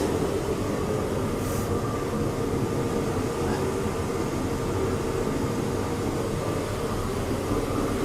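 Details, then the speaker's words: Torpedo heater after repair, plugged in: brief choke at ignition, then steady even roar of burner and fan with no sputtering or surging; firing and running healthy. "she did a little choie thing but she did fire she is on sounds healthy"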